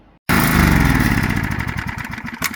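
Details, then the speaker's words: Heavily used Generac 3500XL generator that sat three years in a shed, now with gas and oil. It catches with a little knock, then the firing turns ragged and uneven and it stumbles and stalls. "Well, that pretty much ran. Let's see what happens as we play with it a little bit more. She's running and dead."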